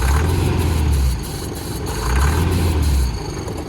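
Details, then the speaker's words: Range Rover diesel engine, previously would not start, now fires and settles into a low, quiet, healthy run with a couple of gentle surges, no knocking; confirmed diesel fuel starvation was the earlier problem, owner suspects fuel volume control valve. "It runs, and it's actually a very, very good quiet engine. So it's definitely diesel starvation."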